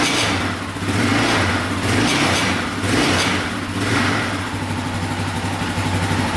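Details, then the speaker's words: Yamaha Raptor 660R single-cylinder engine revving in surges about once a second, with a loose rattle on each rev. Suspected to be the skid plate; pressing on it did not stop the rattle, and a skid-plate screw was found missing. "you can hear it when you rev it up right there right there right there so i think it might be the skid plate"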